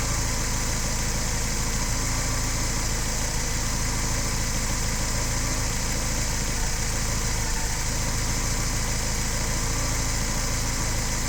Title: DTA S80 misfires